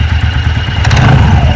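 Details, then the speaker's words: TVS Ntorq 125 BS6 scooter with sound and pickup problem, idling and revved with CVT cover open: uneven low flapping thump under the engine note, brief clatter on revving, belt moving in and out. "तो यहां पर जो है आपको belt में देखना है ये बेल्ट में जो कितना इशू हो रहा है ये अंदर बाहर हो रहा है"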